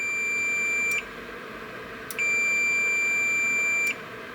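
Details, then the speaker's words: Boiler control board (Beretta, Riello, Carrier, error A01) relay test: good relay, 24 V DC coil powered, multimeter continuity beep sounds twice showing contacts close. "реле в порядке, есть другой метод их проверки."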